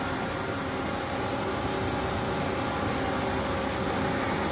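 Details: 2022 Smart SM-1165 vertical machining center, CAT 50 Big Plus, 30-tool, spindle up to 6,000 rpm, X-axis rapid traverse. Smooth, even rushing whir with no knocks or grinding; healthy.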